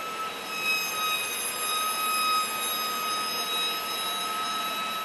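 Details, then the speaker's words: Rear brakes with pads at about 30,000 miles worn down: a steady, piercing high squeal as the pad's metal wear-indicator tab scrapes the rotor. "recently I've noticed this really high pitch squealing noise coming from the back end of my vehicle so I took a look at the rear brakes and I noticed the pads are worn down where the warning tab on the pad is scraping along the rotor"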